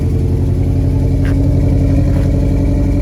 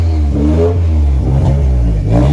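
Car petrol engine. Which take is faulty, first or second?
first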